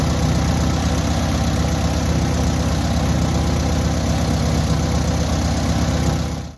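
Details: Newly rebuilt air-cooled VW 1600cc engine during first-start break-in: steady, even low rumble with a firm regular beat and no knocks or rattles; normal running.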